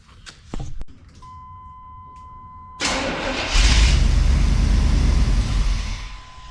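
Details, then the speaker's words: 1991 GMC Suburban, 5.7 TBI, sitting 10 years, gas poured down the throttle body: key-on chime, then it fires at once and runs steadily. Spark and compression are good; owner suspects no working fuel pump. "honestly sounds pretty good fired right up so we're getting spark we got good compression it sounds like uh we just don't have a fuel pump"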